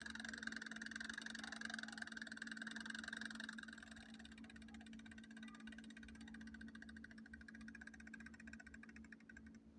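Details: Colormaq washer (tanquinho) switched off, even unplugged: faint quick ticking, two or three per second, over low hum as the mechanical spring timer winds back like an old clock; normal, stops after about 7 minutes, not a defect.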